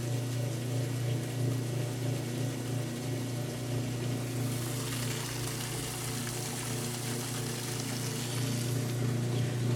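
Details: A Kenmore washer that sat six months and stopped halfway through its wash cycle, running with its broken lid switch bypassed. It has a steady low drain-pump hum with water rushing through, and it pumps out normally.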